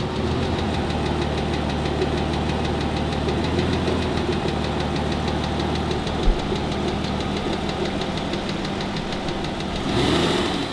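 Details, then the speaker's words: Aston Martin DB9 engine at idle: a fast, even tick over a steady idle. Measurement traced it to worn connecting rod small end bushes letting the piston pins rattle, with piston slap ruled out since the bores are round and within tolerance. "And this sound, as we can measure now, is all to do with the small end bush, which is good news for this repair because it's going to be the most minor of repairs needed."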